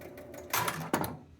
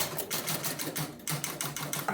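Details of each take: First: Travel Time pinball after adjusting the spoons and spring tension: a few sharp relay clunks and a bell as the game resets and serves a ball, then quiet with no coil locked on; healthy start. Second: Travel Time pinball: 100-point relay locks on immediately at power-up, rapid uneven relay clatter about three a second then abrupt stop; suspected its hold switch is pulling the relay in itself rather than holding.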